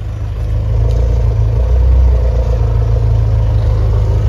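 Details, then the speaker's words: Mitsubishi Lancer, after repair, before tuning, idle deliberately lowered because it was too high: smooth, even low idle rumble with no popping or misses anymore. "O diba, wala na yung pumuputok-putok, na"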